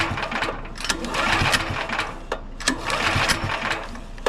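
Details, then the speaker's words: Champion 9375 dual-fuel generator, choke on: repeated pull-cranking with a raspy mechanical whirr and no firing at all; spark and compression good, diagnosed as a clogged carburetor starving it of fuel. "So we're getting nothing out of it whatsoever."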